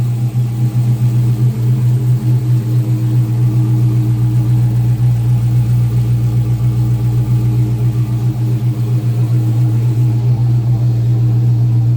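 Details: 2014 Dodge Charger R/T 5.7 Hemi V8, first startup after fitting a 6.1 intake manifold: deep even idle with steady throb and no ticks or knocks; engine running healthy, everything looks good.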